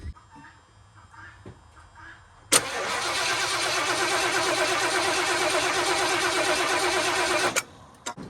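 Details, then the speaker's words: 1977 Mercury Cougar XR-7 after rebuilt transmission install: starter cranks steadily for about five seconds with even beat but never fires; carburetor squirting fuel, engine wet, no spark found. "So we ain't got any spark."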